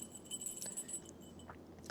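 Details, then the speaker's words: ZF powershift transmission drop box from a JLG 1055 telehandler, during reverse clutch rebuild: a new clutch piston is shaken and its check ball gives a light metallic jingle, rattling loose as it must. The check ball moves freely. "So, I don't know on this particular setup what that check ball is for, but you do have to make sure that it's loose. You can hear it jingling there."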